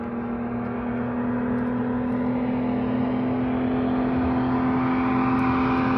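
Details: Jeep Wrangler Rubicon 4.0L inline-six after a top-end rebuild, fired up with the new Y-pipe on (leaking head gasket, cracked manifolds and injectors, crushed Y-pipe replaced): loud, steady drone with a strong low hum and even exhaust note, no knocks or misses. Running healthy.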